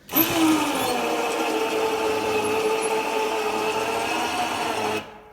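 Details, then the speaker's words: Plow winch on 2003 Polaris Sportsman, key on, engine off, on battery alone: steady electric motor whine holding one pitch about five seconds, pulling slowly; sluggish, seems faster with engine running. "I think it runs a little faster when the engine's running, when you have a little bit more juice to the battery."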